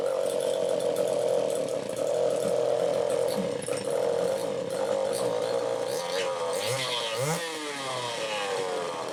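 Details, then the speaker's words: Super EZ chainsaw, cold start after clogged carburetor cleaned, final tune: high buzzy two-stroke holding steady revs then tapering back; slightly lean at first, likely from fuel puddled in crankcase after idling; starts easily, runs cleanly. "a whole lot of idle time but anyway that sounds good it started easily"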